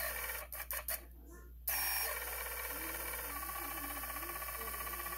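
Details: New T-motor brushless motor on an unflown cinewhoop quad spins with a gritty, rasping hiss and pulsing roughness, unlike the smooth good motors; bad, rough bearings.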